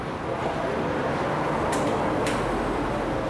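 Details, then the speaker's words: Ford Edge after repairs to a bushing, stabiliser link and brake calipers: a steady low rumble with the earlier "clec clec" clunking gone. The suspension is now quiet. "tudo solucionado tudo arrumadinho carro sem barulho Olha que legal"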